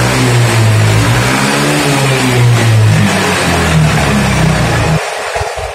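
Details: Yamaha Mio M3 125 scooter engine runs very rough with a loose, internal knocking (klotok) about three to four beats a second at idle and revs, then dies; mechanic places the noise mid-engine, suspecting bearing and connecting rod, unconfirmed.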